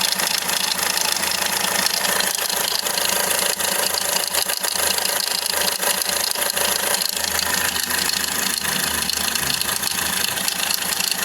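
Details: 2010–2016 Hyundai Accent CRDi diesel at idle with a fast, uneven rattling knock about four a second over a hissy clatter; loose timing chain suspected as a common problem, unconfirmed.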